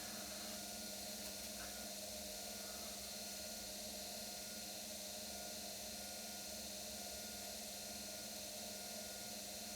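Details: Brand-new brushed-motor washing machine in a spin cycle. Steady high whine with a constant tone over an even drum rumble; possibly just because the motor is new.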